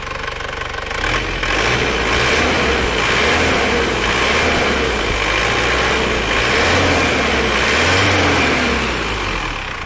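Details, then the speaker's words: Isuzu Panther Touring diesel, rebuilt a year earlier and failed again, now repaired with the original-type liner restored: revs up and down smoothly, pulls evenly, no knock or miss, and the exhaust is clean with no smoke; healthy. "suara mesinnya sudah halus Mari kita gas"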